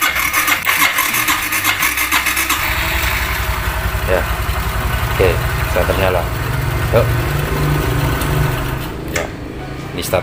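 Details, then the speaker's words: Kawasaki Blitz R after replacing a shorted DC CDI (it would not run once a battery was fitted) with a Shogun CDI: test start catches quickly, settles into smooth even firing with no misses; clean healthy start. "kita tes nyala, apakah bisa nyala mesinnya. Kita selang on. Wow, ya halus banget ya."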